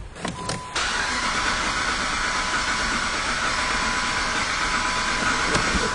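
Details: 2007 Jeep Commander with an undiagnosed misfire, cranking with a spark plug removed during a compression-loss test: starter turns at about three beats a second, uneven as one cylinder has lost compression.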